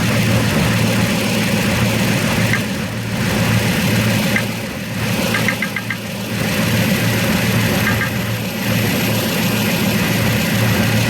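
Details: 2006 Toyota Tundra 4.7 V8 at idle: a steady idle with a light, somewhat uneven knock at about three to four per second; the cause is unknown.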